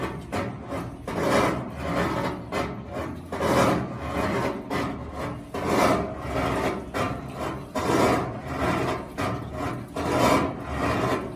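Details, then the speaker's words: GE washing machine filled with water, washing: rhythmic scraping rasp about every two seconds following the agitator strokes, from underneath the tub; possibly the motor, unconfirmed. "vamos a poner y la vamos a poner ahorita a lavar y ustedes van a poder escuchar este ruido que yo les menciono que es como que raspar a alguno"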